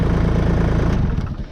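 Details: Kubota L-series (L2501) HST tractor after fixing no-crank via safety/PTO switch; diesel catches and settles into steady, even low chug with no missing beats; normal start and idle.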